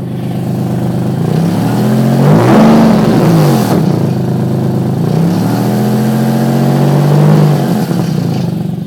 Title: exhaust leak